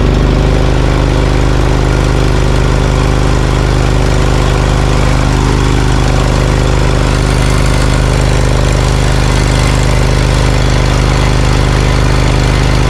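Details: Briggs & Stratton Vanguard 20 HP V-twin on a zero-turn mower, warm: low, lumpy, uneven chug, popping and losing power once hot; right tailpipe only 124° vs left 500°, running on one cylinder.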